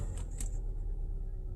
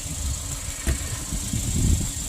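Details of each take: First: 2016 Kia Sorento 2.4, oil-consuming, code P0304, engine oil 106° at start: rough, uneven, stumbling idle, hard misfire on cylinder 4, confirmed by disabling injectors; a fouled spark plug was found. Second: 2016 Kia Sorento 2.4, known to burn oil, after a P0304 misfire was diagnosed to a fouled cylinder 4 plug: a steady, even idle with no skips and a faint hiss. The misfire is gone.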